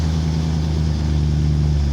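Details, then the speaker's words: Stock 2008 BMW E92 M3 with the S65 V8 and stock exhaust on a cold start. A loud, deep, steady high idle with a metallic chunk noise, no bearing or strange noises: a perfectly healthy cold start. "will sound violent [Music] this metallic chunk metallic noise is absolutely normal it does not have any raw bearings strange noise [Music] this is a perfectly healthy s65 engine noise during the cold stuff"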